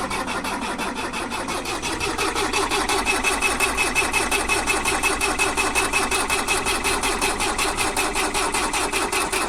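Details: Mercedes 609D diesel: starter turns the engine over steadily about three pulses a second for ten seconds without catching; crank, no start.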